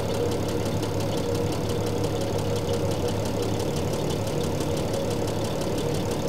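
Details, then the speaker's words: 1975 Triumph TR6 PI straight six, Lucas mechanical injection, warm idle while mixture adjuster unwound: steady idle with fast tappet ticking and slightly uneven, hunting beat; running a little weak (lean mixture), then reset. "yeah it's just running a little weak um yeah it doesn't like that"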